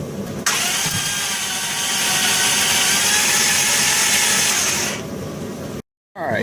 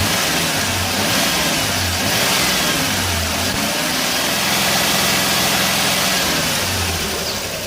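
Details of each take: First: 2001 Dodge Grand Caravan EX, over 324K miles, crank no start with odd cranking noise: starter spins the engine at an even, fast whirr for several seconds but it never fires; damaged intake valves found. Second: 2001 Dodge Grand Caravan EX, about 329,000 miles, after repairs for a crank-no-start with engine noise; engine started after sitting two days, revved partly warmed; smooth idle and clean pickup with no knocks or rattles, sounds healthy.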